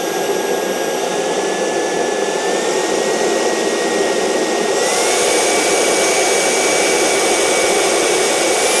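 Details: CARF Rebel Hot RC jet's newly installed turbine on test run, throttle slowly increased from stabilized idle after air bubbles were purged. A smooth roar with a clean whistle steps up in pitch, with no surging. Normal turbine run.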